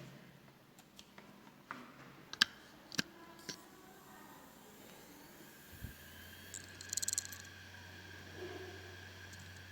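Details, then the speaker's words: Samsung 3.5-inch desktop hard drive (HD502IJ) at power-up: sharp uneven clicks, low motor hum and a quick burst of ticks as it tries to start and fails; damaged read head. "E aí nitidamente você houve problema na cabeça de leitura"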